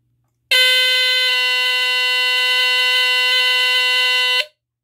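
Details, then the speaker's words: Sunbeam Centurion 45-31 smoke detector (rebranded Cerberus GuardION FB-1, about 1978), Duracell battery, test button pressed: one loud steady raspy tone about four seconds; horn works. "yep these for some reason always sound really raspy I don't know why um this one sounds kind of raspy it almost sounds like an air horn"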